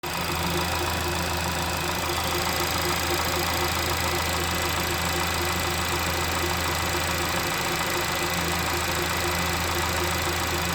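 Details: Honda Civic FK8 engine at idle: a thin, constant high-pitched whine sits steadily above the engine note, unchanged through the clip.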